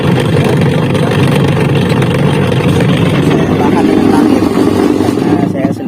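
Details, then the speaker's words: Denpoo DW-8907 twin-tub washing machine, wash pulsator weak and noisy under load: loud, rough, uneven grinding churning steadily with no clean hum; worn gearbox, to be replaced. "Dan untuk mengatasi masalah putaran mesin cuci yang lemah dan berisik, saya akan mengganti gearbox mesin cuci ini, teman-teman."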